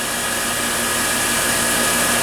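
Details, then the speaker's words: KIG packaged air-cooled chiller with isolation heat exchanger and motorized 3-way ball valve, glycol loop near 24° set point: valve closes, then steady even rushing hiss with no knocks or surges; normal chilled water bypassing exchanger. "See, there's the valve closing. And you actually could hear noise that we're now bypassing some of the chilled water flow."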